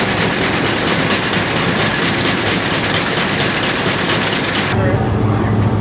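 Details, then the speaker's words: Combine corn head running: rapid, hard metallic clattering in quick bursts, then it drops away. Loose bolts are rattling, and one is missing something, possibly after a bolt head wore through the hole. They need tightening, possibly with a washer. "yeah we need to tighten these down this is what was making all that noise"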